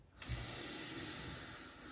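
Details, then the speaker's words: Aiwa HS-J505 cassette walkman: faint steady whirring hiss from the motor running alone with belt removed; dry motor bearings, quiet once oiled. "okay we'll have to oil it definitely"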